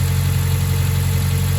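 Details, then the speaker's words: Mazda 3 cold idle after new NGK spark plugs and breather filter, relearning idle: steady, smooth low hum with no stumble or ticking; idling fine. "look at the engine I mean so far it's holding up pretty good just trying to relearn the idle again"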